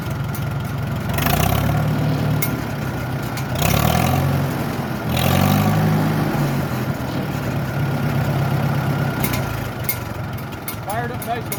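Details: Farmall tractor after carburetor rebuild, kit initial settings: engine catches after a short crank, revs briefly, then settles into an even, steady idle with no misses; starts and runs fine.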